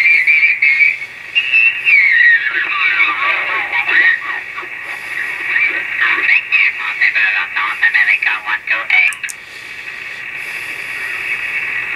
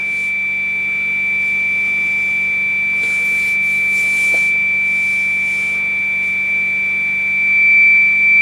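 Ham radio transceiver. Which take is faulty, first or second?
first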